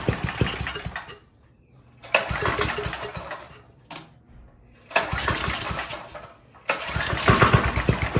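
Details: Briggs & Stratton 5hp engine on a generator: catches and runs a second or so, dies, catches again in repeated bursts; starts but won't keep running, governor arm position suspected.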